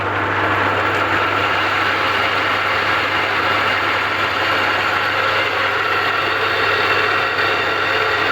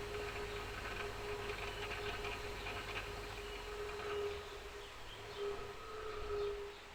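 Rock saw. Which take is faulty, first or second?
first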